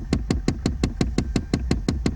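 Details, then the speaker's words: Ram truck dash: a steady, rapid knocking of about five clicks per second behind the dash whenever the hot-to-cold knob is turned; a slipping hot-to-cold blend door actuator is suspected but not confirmed. "if you're having a problem with that or anytime you turn it or try to use it you get this weird sound like this"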